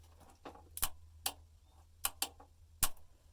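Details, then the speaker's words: Used 24V wind turbine charge controller, presumed about 15 years old, connected to a 24V battery: repeated relay-like clunks over a faint low hum, but the unit never powers on; cause unknown, possibly needs input from the turbine. "you can hear the clunk which is that relay presumably but doesn't seem to uh spring to life"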